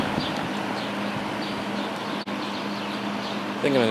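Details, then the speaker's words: Lakewood S23 fan after blade straightening, blade cleaning and oiling the motor bearings (took a lot of oil); even whir, steady low hum, smooth blade swish, no rattle or scrape, faster low speed, motor running freely. "use this fan tonight and the faster low speed will definitely be appreciated because it's very hot right now."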